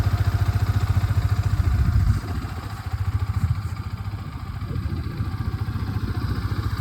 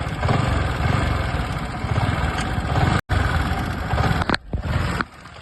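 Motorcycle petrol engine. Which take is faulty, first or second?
second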